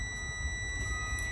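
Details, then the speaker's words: In-cab pre-trip inspection on a CDL truck in neutral with parking brakes applied, just started and idling: steady high-pitched warning buzzer over a quiet low idle, meaning not enough air in the brake tanks. "You see that beep? You hear that beep? I don't have enough air in the tank, so I'm gonna go ahead and fill up my air tanks."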